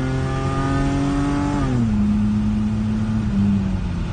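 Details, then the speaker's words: BMW E30 with an M20 six-cylinder, back running after three months waiting on parts and revved: a clean, steady tone rises and settles evenly with no knocks or rattles; a healthy engine. "think sounds so good he's got a nice tone I feel like the headers will really get like a little bit like more crackle and pop with it"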